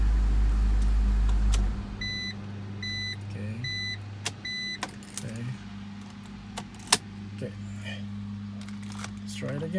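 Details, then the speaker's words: High-mileage BMW X3 after ignition switch replacement for intermittent no crank/no start: quick first-try start then steady even low idle with chime beeps; runs smoothly. "okay start it goes on at least it starts in one shot"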